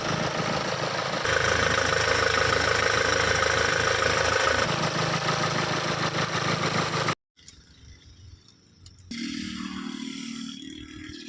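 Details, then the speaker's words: Renault Duster at 126,000 km, after a new timing belt, timing bearing, alternator belt and rear wheel bearings: the engine catches and settles into a smooth, even idle with no rattle, whine or knock. "તો ગાડી એકદમ perfect થઈ ગઈ છે"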